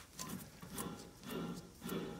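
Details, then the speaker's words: 2008 Mk5 VW Golf, rear hub with a new budget wheel bearing turned by hand; dry rasping rub surging about once per turn because the bearing spins on the inner shaft, not yet seated; silent once seated; unseated wheel bearing noise. "because it's spinning on the inside it's not seated you I'm going seated in a second"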